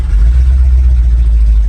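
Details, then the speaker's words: 1975 Ford F250 Highboy, cold start with no working choke (given gas): steady, even low rumble at idle with no knocks, misses or ticks; oil pressure showing, sounds good and healthy. "Sounds good. Some oil pressure there."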